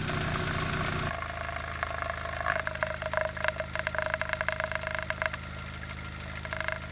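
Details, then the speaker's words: Engine with noisy valves and lifters at idle, oil level good, before adding Rislone high-mileage engine treatment: a fast, uneven light ticking at about three to four per second over a steady idle, from noisy hydraulic lifters. "you can hear the noisy lifters right now oil levels are good"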